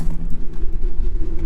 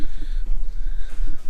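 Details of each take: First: Old truck just started after hazard/turn signal combination switch replacement; deep, even low rumble with no misses, knocks or ticks, silky smooth normal idle. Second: 2016 Dodge Grand Caravan engine starts and settles with a faint steady whine over it from a defective replacement power steering pump, to be replaced again under warranty.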